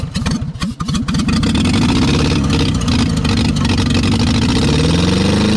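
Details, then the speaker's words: 1962 Hillman Minx, parked 40 years, warm after revving: catches after a few cranking chuffs then runs steadily with firm low throb; running normally but needs carburetor work, oil not yet reaching top end. "she runs good she's a little warm now she just needed a cool and she needs a carburetor work but she does run pretty good"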